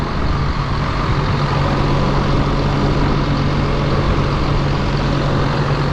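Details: John Deere 7830 tractor diesel after replacing a seized VGT turbo actuator that caused derating: steady even low rumble, no knocks, misses or surging; judged fixed.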